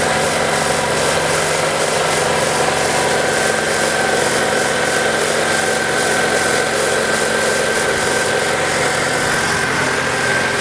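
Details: Ford Lynx, previously crank-no-start with no fuel pump power or injector trigger, traced to the crank sensor giving no signal: after repair, smooth even idle with steady hum, no knocks, misses or hunting; running healthy.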